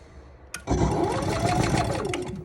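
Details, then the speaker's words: Camper generator with auto choke and electric start; a couple of seconds of churning and sputtering without settling; hard start, cause unknown; starter won't stay on long, runs well once caught. "got an auto choke on it no last year i posted it instead if the starter would stay on longer probably pretty good once she catches though she goes pretty good"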